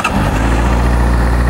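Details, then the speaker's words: 2009 Honda CBR600RR sportbike with 1,816 miles, exhaust under the seat: quick catch after a brief crank, then a settled, even low idle with no knocks, rattles, engine noise or smoke; normal healthy start and idle. "Cranks right up, no problems there. Nice dash. No engine noise, smoke, or any of that."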